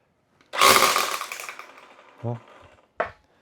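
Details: Black & Decker LST220 cordless string trimmer after repair (it wouldn't start even with a new battery; the connector was resoldered): a sharp whirring spin-up that winds down over about a second, clean motor whine, no grinding; runs normally.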